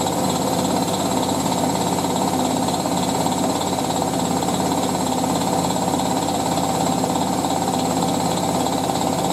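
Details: Hotpoint 9530W Electronic 1000 Plus washing a towel load, during spin: heavy, irregular thumping around three knocks a second as the tub bangs about on worn shock absorbers. The machine is being stored until the shocks are replaced.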